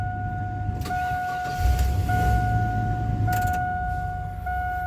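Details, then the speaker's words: Barn-find Chevy 3500 8.1 truck, now starting and staying running, not yet hot, low on coolant from a suspected water pump gasket leak: low, steady idle with a two-tone chime over it, a little stumble; sounds pretty good. "she's running sounds pretty good"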